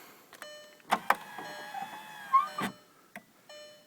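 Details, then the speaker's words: 2001 Audi TT MK1 power window after un-jamming and lubricating motor/mechanism, key on, full down and up travel: whirring motor runs with clicks at stops, pitch wavers mid-travel; track sounds dry, silicone lube planned. "so that sounds pretty good actually it doesn't sound all that good so I'm going to also lubricate while I got the door panel open that track get some silicone in the whole track get rid of that noise"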